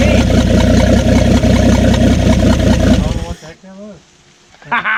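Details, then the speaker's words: 1967 Ford F100, 76k original miles, parked 40 years, first run with primed carburetor: loud steady clatter over running engine that winds up, then shuts off; owner doubts internal cause, suspects something on flywheel. "all right well we got it running obviously we do have a little bit of racket going on there or we did to begin with and it winded right up i don't think it was internal on the engine possibly it was dry to begin with and they picked up oil pressure but i really don't think so"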